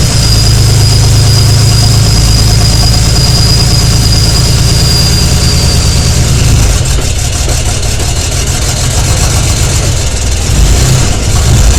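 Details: BMW E91 LCI 335ix with N54 engine at idle: deep, uneven, stumbling beat and lumpy revving, a misfire attributed to bad injectors.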